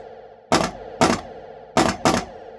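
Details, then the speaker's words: Restored Bally Frontier pinball machine during playtesting: four sharp solenoid bangs over a steady hum, some in close pairs; one pop bumper's vibration triggers its too-close neighbour, needs adjustment. "I think the one pop bumper vibration is triggering another pop bumper to go off, because it kind of sounds like two going off at once."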